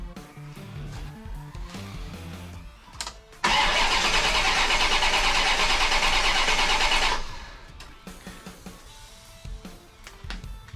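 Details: 1990 Chevrolet Corvette stranded on the road: starter spins steadily about four seconds without catching after re-seating a loose wire, which didn't help, crank no start, injectors not firing; distributor module next suspect.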